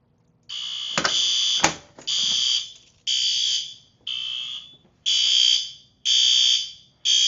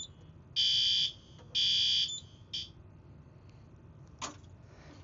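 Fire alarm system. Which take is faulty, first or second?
second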